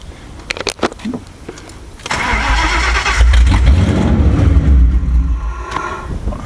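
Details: Ford Crown Victoria 4.6 DOHC with low compression, after replacing IAC, TPS, plug wires, plugs, coil packs, starting on new ECU: brief cranking, then smooth, even idle; normal start and run.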